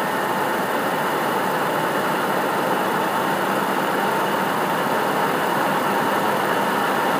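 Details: PS4 CUH-1216A (CUH-1200 C-chassis) running Witcher 3 as a digital game, placed horizontally on a media center 15 cm from the back wall, peaking around 63 dB: constant airy rush with a faint steady whine as the cooling fan runs loud under load.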